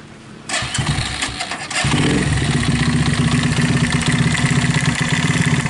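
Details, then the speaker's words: Viar motorcycle left unused about five months, running with a rough, loose knocking of about four beats a second as the throttle is raised, as if something inside had broken. "Eh begitu dihidupkan tiba-tiba bunyinya seperti itu ketika kita naik gas khotob seolah-olah ada yang lepas atau ada kelakar yang pecah bagian di dalam"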